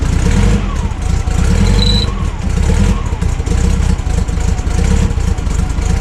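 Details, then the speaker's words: Volkswagen Kombi with newly rebuilt, freshly fitted carburettor, first start before tuning: idle uneven and lumpy, wandering up and down rather than settling; runs poorly, rough running from incorrect carburettor setup, needs mixture tuning. "so sweet it runs um as you can hear doesn't run the best so time to get some tuning"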